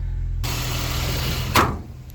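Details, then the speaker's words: 2007 Saturn Ion 5-speed, 186 on the dash: a steady, even low idle hum with no knocks or misses, with a door-like clatter briefly over it. Runs and drives well, clutch feels good. "Yeah, this thing runs and drives mint."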